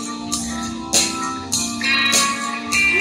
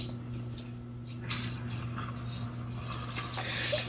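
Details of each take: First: KRK Rokit 5 studio monitor that had the famous crackling fault, after being hit: music with tambourine and guitar plays steadily with no crackling or dropouts, so it now seems fixed. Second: KRK Rokit 5 powered speaker: steady low hum with irregular crackling and popping bursts like frying fish; still present after opening the board, which has many problems, speaker judged not worth repairing.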